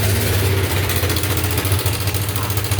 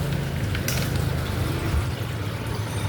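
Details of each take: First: Yamaha Nmax V.2 scooter at idle: fast, loose metallic rattle over the engine note; cause a failed cam chain tensioner, replacing it silenced the engine. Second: Yamaha Nmax V.2 scooter after replacing a faulty cam chain tensioner (noise had quieted when revved): soft, even low idle hum with no ticking or chain rattle; engine now quiet after repair.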